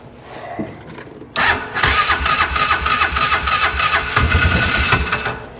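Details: 2005 Polaris Ranger 4x4, previously repaired by another shop (bad cam fixed, low fuel pump pressure found): after fuel pump cycling, cranks briefly, catches and settles into quick, even single-cylinder idle with no rattle or knock; healthy start and idle.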